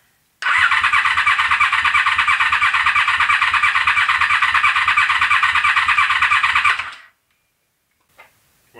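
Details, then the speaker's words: Honda VFR750F on a stand, carbs needing to be refilled; the fuel pump runs only while cranking or running. About seven seconds of steady starter cranking that never fires: crank, no start, because the fuel was left turned off. "I don't get it now. Oh. Guess what I forgot to do? I forgot to turn the fuel on. That would help."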